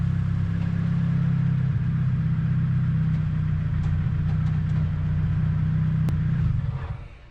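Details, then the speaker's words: First-gen Neon, sitting 15 years, first drive after first start, no power steering, exhaust not yet done; deep steady engine rumble holding even under load then easing off smoothly, no knocks or ticks; normal running. "The motor sounds good to me, so I feel comfortable moving forward,"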